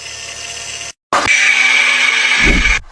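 A steady, high-pitched whine with a lower hum underneath: a failing power steering pump.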